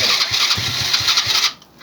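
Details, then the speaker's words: Old ATV pulled from a barn, being revived with fuel filter leaking, fuel delivery doubted: cranks with quick uneven puffs a few times a second then stops without running; hard starting. "She probably won't run too good because of the fact there's no gas going to her."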